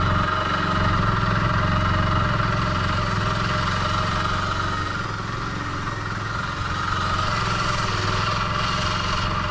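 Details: Honda Dio AF62 50cc scooter due for overhaul, deliberately run with no oil added: rough uneven idle with harsh mechanical rattle pulsing three to four times a second; worn engine from oil starvation.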